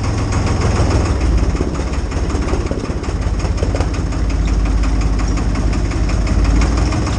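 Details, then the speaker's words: IHC 633 tractor, 3-cylinder 3-litre diesel, started at minus 10 °C with a jump-starter booster after it would not start: deep, even diesel clatter at steady idle, about three beats a second, no misses; running properly. "Und tatsächlich hat das Ding meinen Trecker zum Laufen gebracht. Das ist nicht schlecht."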